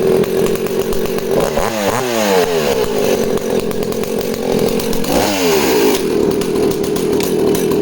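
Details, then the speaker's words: Danarm 36 'hot rod' chainsaw, unloaded: thumping revs broken by occasional pops and stumbles, speed dips; intermittent misfire, owner suspects the primary coil, unconfirmed. "so real Thumper and a banger of an engine but you can hear it's just got that occasional popping and misfiring so I'm thinking that's off the primary coil"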